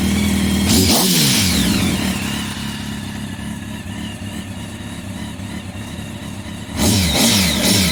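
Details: 2004 Kawasaki ZX10R first start after three years sitting, new tank, fuel pump and iridium plugs, fuel pump heard priming; catches with sharp rev, settles to steady high-pitched idle, revs again; starts and runs cleanly.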